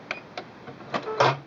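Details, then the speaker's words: Singer Quantum L-500 sewing machine, pressing the scissors button at the end of a seam: four or five light mechanical clicks ending in a short whirr; thread cutter operating normally. "Now as I get to the end, I'm going to press the scissors so you can hear what that sounds like."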